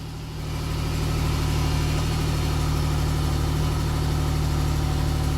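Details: 2008 Mercury Mariner project with a suspected bad ignition switch and no-start issue, engine now started: low, steady idle rumble that settles within a second and stays smooth with no misses or knocks; normal idle.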